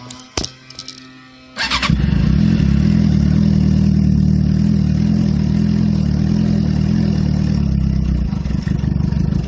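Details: 2007 Suzuki GSX-R (K6) cold start after sitting: short starter whir, catches into a low, uneven rumble that never rises to fast idle; exhaust smells rich, a light rev has previously fixed it; cause unknown.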